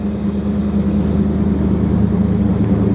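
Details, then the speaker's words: 1929 Chrysler with 360 V8 and Edelbrock AFB carburetor, after straightening a bent metering rod that fouled one bank's plugs: deep, steady burble, no missing or popping, idling about 500 rpm higher; rich running fixed. "not getting any missing out of here at all. Just a little bit. They're both about the same. In fact, this side's running a little better. I had 2 plugs on that driver's side that I didn't gap. But sounds much better. No popping."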